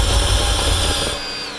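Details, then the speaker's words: 1996 Chevy Impala SS, crank no start: spark and fuel delivery confirmed and it runs on starter fluid, but no pressure at the Schrader valve; the owner rules out the fuel pump. The starter turns the engine steadily for about a second with no firing. "that's plenty of fuel and I'm getting nothing from there to the engine so I don't know what the problem is"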